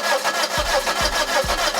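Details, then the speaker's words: Daihatsu Terios sat about 5 years in a garage, cranking on a jump battery: steady starter cranking, even pulses about twice a second, never catches; weak compression suspected as cylinder oil film drained away. "мало слаба компресія щось я вам вже казав перед цим що машина простояла приблизно 5 років"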